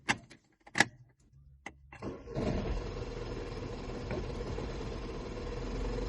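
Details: 2008 Skoda with BLS engine at operating temperature, no diagnostic errors: several short cranking bursts with pauses, then it catches and settles into a steady idle; hard starting when hot, engine not running smoothly.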